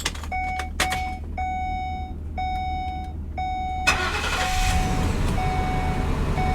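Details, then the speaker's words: 2009 Ford Crown Victoria police car, CNG, restarted at salvage auction: warning chime beeps steadily, then the engine catches first try and settles into a smooth, even idle, running great. "Yeah, she runs great. This is a good one."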